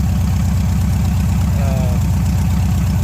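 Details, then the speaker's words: 1971 Chevrolet C-10 V8 after new spark plugs, plugging a vacuum port, mixture adjustment and raised idle: deep, evenly pulsing idle at steady speed, no misses or hunting; idling fairly decent, vacuum gauge tune not yet done. "and I adjusted on the on the mixture a little bit and I bumped up the idle and I gotta running fairly decent"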